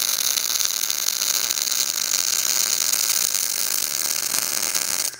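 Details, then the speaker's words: Everlast Power i-MIG 315 on CO2 with 0.030 ER70S-6 wire, carbon steel, short-circuit mode: fast, even bacon-frying crackle held for five seconds, a properly tuned normal short-circuit MIG arc. "the main thing is listen to that bacon sound noise because you can walk up to any welder or walking by anybody and tell if their machine's tuned in when you're doing short circuit mode"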